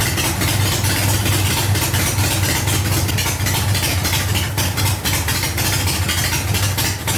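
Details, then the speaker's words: 1985 Harley Ironhead Sportster after ignition troubleshooting: steady loping V-twin idle with even low thumps, no misses or knocks; running cleanly. "yeah he runs man that's a good feeling to hear that noise"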